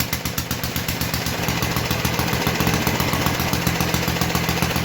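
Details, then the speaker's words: 1952 Clinton VS-700 engine on a push mower, revived after cleaning points, carburetor and clogged fuel line, idle turned down; steady, even popping about four beats per second with no misses or knocks; clean idle. "anyway as you can tell she was pretty good at idle"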